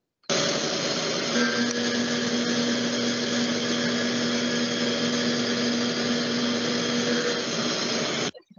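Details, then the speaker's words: Milling a slot with a short tool: steady, even cut with a low hum and no chatter whistle, unlike the long tool, which whistles from vibration. "veamos aquí ejemplos de que se escucha la vibración cuando elegimos una herramienta corta y cuando elegimos una herramienta larga escuchamos de herramienta corta"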